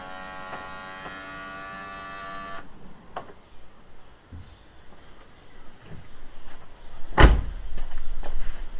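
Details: Headlight self-leveling motor on a stolen/recovered car's repaired headlight, ignition and lights on, tested before taping the cables: a short, steady electric whir for a couple of seconds, then stops cleanly; healthy leveling motor.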